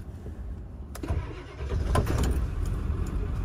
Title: ford e-450 7.3 power stroke turbo diesel former ambulance starts and runs on a freezing Michigan day